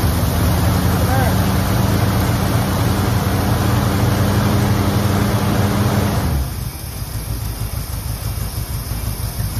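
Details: 1969 Ford one-owner survivor, 52,000 miles, first start after 23 years in storage on fresh gas: old V8 fires and holds a steady, slightly lumpy idle before shutting down; still needs plug wires, burning off oil poured down cylinders.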